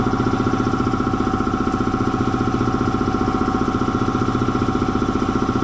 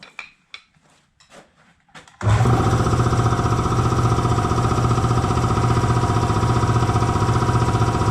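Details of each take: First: Air compressor slowing down after an oil change to synthetic oil, first thought to be tying up: steady pumping chug about two and a half beats per second under load, bogging from a way-loose drive belt; belt tightened, then worked fine. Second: Air compressor after oil change and tightening a loose drive belt that had made it slow and tie up: clicks, then strong even low pulsing with no slap or squeal, running properly up to 175 psi.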